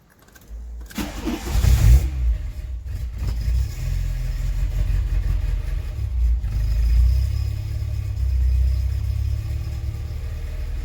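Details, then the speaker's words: Mk2 VW Golf petrol engine after a misfire and high idle were fixed. Cold start: it cranks, fires, dips briefly, then settles to a steady cold-start fast idle of about 1200 rpm, no longer excessively high. Normal. "So how it was running then is absolutely perfect. That's how you want it. Because the engine was cold, it was running at 1200 RPM, so it was activating the cold start, but it wasn't running ridiculously high like it was before."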